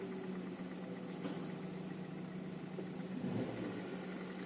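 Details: Hyundai Solaris at about 10,600 km, warm idle around 45 degrees: a petrol engine with a steady low hum and a faint knock tapping through it; the owner says the knock grew louder after an oil change.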